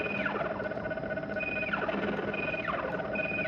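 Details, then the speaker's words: Astro Fighter arcade game, first sound after PCB work: game beeps and sweeping tones come out buzzy and crackly; speaker believed broken, torn speaker cone, to be replaced. "Speaker sounds like cuz it's broken."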